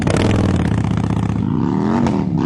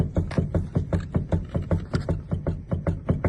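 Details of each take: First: 2008 Toyota Avensis T25 sedan, test drive after replacing the steering tie-rod ends, which caused a knock over speed bumps. The engine pulls smoothly over steady road rumble with no clunks or knocks from the front end. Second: 2008 Toyota Avensis T25 sedan that knocks over speed bumps, engine off with ignition on, front wheel rocked: dull regular knocks at about 2.5 a second from a worn tie rod end, first suspected to be stabilizer links.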